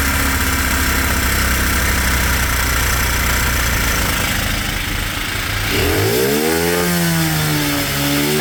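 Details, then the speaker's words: Cheap monkey bike after a carb adjustment screw was seated then backed out about a half to one turn: the small single revs and blips back smoothly with a clean rise and fall in pitch, running pretty well but needing a little more fine tuning. "Sorry for any headphone users, that was very loud. That seems to be pretty good, a little bit more fine tweaking, and I'll be able to get it pretty bang on."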